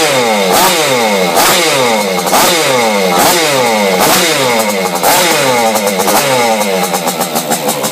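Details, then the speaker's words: Vespa Piaggio Ciao moped with Simonini engine and modified cylinder head with decompression lever, test run after internal rotor setup and timing: loud eager two-stroke buzz revving in swells, no knocks or rattles, no compression leak. Normal running. "the system seems to work so I'm quite happy about that and makes a lot of noise actually it sounds like it really wants to go"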